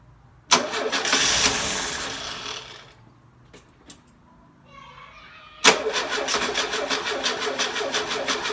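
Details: Carburetted engine first start after sitting 6 months, carburetor burst used: long crank burst fades without catching, then after a pause it fires and settles into a quick even beat about three per second; hard starting.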